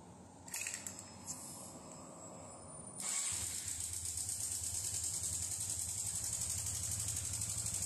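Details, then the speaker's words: Honda Biz 125 with loud engine noise, fairings removed for testing: after start-up a fast, light metallic rattle rides steadily over the idle; slack cam chain, caused only by a faulty cam chain tensioner, fixed by replacing the tensioner. "A gente já desmanchou aqui as carenagens dela para fazer os testes e foi verificado que o problema era só o acionador da corrente de comando."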